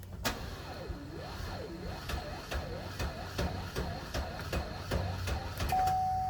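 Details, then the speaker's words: 2016 Camaro SS, burning-wire smell, battery ruled out: engine turns over sluggishly, about two and a half labored pulses a second with a warbling whir, never catching; slow cranking from a failing starter before replacement. "so you guys heard how slow it's cranking guys it's not the battery"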